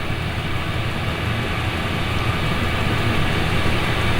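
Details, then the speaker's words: Chinese diesel air heater in a garage, fitted with an intake silencer, running at absolute full power. It gives a steady even low roar with a soft hiss, which is normal operation. "so for those of you who haven't got one and I thinking of getting one then that's the noise that's making and that is an absolute full full chat"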